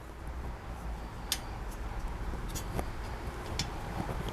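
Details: Bicycle disc-brake wheel (Motorbell TX8 Pro 3) after recentering the misaligned caliper: spins almost silently, no rhythmic scraping, just faint ticks; brake rub fixed.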